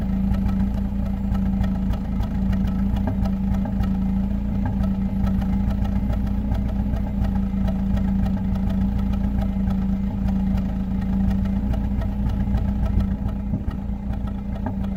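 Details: Acura Integra at cold idle stumbles with irregular skips, misfiring after overheating with low coolant when the radiator fan failed; owner suspects a leaking IACV or electric idle control gasket letting coolant into the intake.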